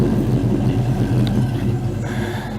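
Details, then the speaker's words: Mustang V8 idling just after a Wix 3397 fuel filter replacement: deep, even rumble with no miss, tick or stumble; sounds good, owner will probably check for leaks. "starts up I don't know sounds good to me um probably check it for leaks one more time here"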